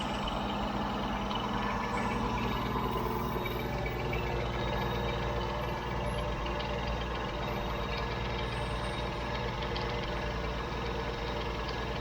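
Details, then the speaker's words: Old Jeep CJ7 idling while running only off a DBPOWER G57 2500A jump starter with the car battery disconnected: a steady idle with an even low thrum and constant pitch, no stumble or tapping. Normal idle. "They started it no problem. The car battery is still disconnected. I'm running completely off of the jump starter."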